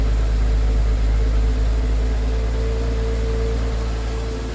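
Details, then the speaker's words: Nearly 25-year-old Porsche Boxster cold start after throttle body and MAF cleaning: steady, even low rumble, the "old Porsche purr", no misses, knocks or ticks; normal healthy cold idle. "Nice, nice, nice. Check it out. The old Porsche purr. That's a cold start."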